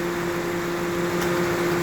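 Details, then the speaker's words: 2008 Toyota Matrix A/C: steady compressor hum with one sharp clutch click as it cycles; pressures swing and the low side hangs, pointing to a faulty expansion valve. "Hear the compressor click? Pumps everything to one side."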